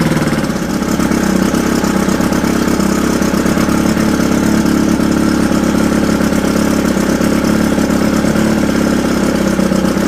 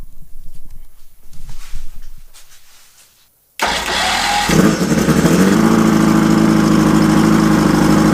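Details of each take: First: Mercury Thunderbolt 500 50 HP two-stroke outboard, first run after full rebuild (reeds, bearings, rings, distributor, carb, fuel pump; compression 123-124 psi): loud buzzy idle that wavers and hops; needs slight adjustment, possibly at the carburetor pickup. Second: Mercury Thunderbolt 500 50 HP outboard, first run after complete rebuild (reeds, bearings, rings, distributor, carb, fuel pump, starter, water pump), compression 123-124 psi, bulb primed: quiet cranking, then clean start and steady, even idle.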